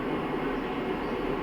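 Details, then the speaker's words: Full-copper solar inverter running a 1-ton non-inverter AC set to 16°C (about 885 W, 45% load) off a 120Ah LiFePO4 battery at 28.1 V, mains off: steady faint hiss with soft hum that began when the AC switched on; normal inverter sound, normally audible only near the unit. "Normally വളരെ ചെറിയൊരു noise മാത്രമേ നമുക്ക് അറിയാൻ പറ്റുള്ളൂ. അതും ഇൻവെർട്ടറിൻ്റെ അടുത്ത് നിൽക്കുമ്പോൾ മാത്രമേ അറിയാൻ പറ്റുള്ളൂ."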